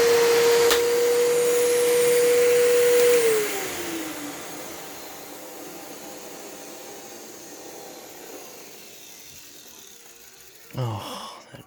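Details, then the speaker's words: Fantom Fury vacuum with replacement brush roll fitted (end caps don't spin independently); loud steady whine with rough hum winding down after switch-off; bearings sound okay but it runs louder than another Fury, suspected worn or cheaper brush roll. "it doesn't sound like the bearings sound okay but it i don't know if it's just me or it feels louder than my other fury"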